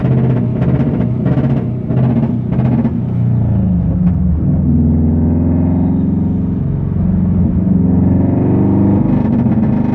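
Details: 2011 Subaru WRX with front-mount intercooler drives fine until boost, then stumbles and bogs so badly revs won't climb; no codes or logged misfires, caused by a leaking intercooler end-tank coupling (boost leak).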